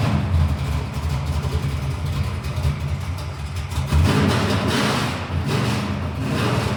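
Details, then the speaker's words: Chevrolet Monte Carlo drag build, 415 V8 with Black Widow exhausts, primed and started: it catches and settles into a loud, deep, even idle with a quick blip, pulling cleanly; normal, healthy start and idle. "Hell yeah, she sounds good."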